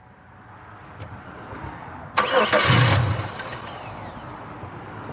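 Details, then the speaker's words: 2002 Chevy Malibu cranks, flares briefly for about a second as if to catch, then dies; crank no-start. Fuel pump runs and ignition present, but owner suspects injectors not opening, possibly cam sensor or ECM; unconfirmed. "ump I got a fuel pump runner means I got fuel to the rail but my fuel injectors are not opening"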